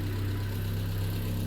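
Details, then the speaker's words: Triumph Spitfire with freshly rebuilt engine, bought as an abandoned £1000 project, at idle: low, even beat around 900 rpm with no knocks or misses. Engine sounds sweet; normal idle. "Engine sounds absolutely sweet."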